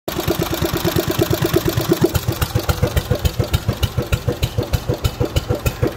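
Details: Old Clinton stationary engine, first start in 5 years, now powering a compressor; strong, even chuffing beats at a steady slow pace with no misses or clatter, running cleanly.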